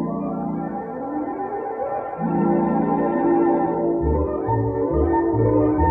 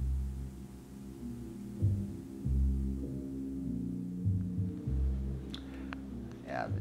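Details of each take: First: 3M Cantata background-music quarter-inch mono tape player, normal playback before a germanium transistor failed: loud, full organ music with good dynamics and no wow, hiss or dropouts. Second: 3M Cantata background music system, sliders at maximum after recapping: music comes through faint and dull, only low bass and no treble, like through a wall; failed germanium transistor.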